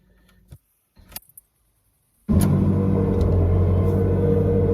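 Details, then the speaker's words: Ferrari 360 Challenge Stradale after a DIY F1 gearbox system repair that restored all six gears: starter catches and the engine fires straight into a strong, even idle with a steady low hum; normal start. "okay so the moment of truth let's fire it up let's see if it's worked fingers crossed"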